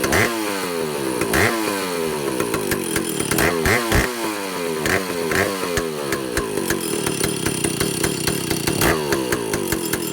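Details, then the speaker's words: Vintage Stihl chainsaw, second test run after air leaks fixed, initial carb settings high 3/4–1 turn, low 7/8–1 turn, idle target 1,800 RPM, top no more than 10,000. Repeated throttle blips climb then sag short of a clean scream; owner suspects carburetor third circuit. "The only thing I'm concerned about is um the the engine doesn't want to rev all the way up."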